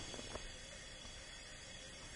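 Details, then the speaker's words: Leak-down test on a 2004 Mazda Tribute that died with a noise and a puff of smoke and now cranks with no compression: a steady hiss of air escapes with the valves closed and the engine still, showing high cylinder leakage. "there was no movement whatsoever of the engine there is definitely the valves are closed and we are losing air you can hear it give you a listen"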